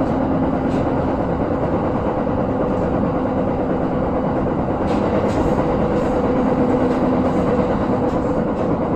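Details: JR Jōban Line 701 series electric train running on an elevated section, recorded 2021/1/8: steady roar with repeated thumps and knocks from a wheel flat, louder once on the viaduct.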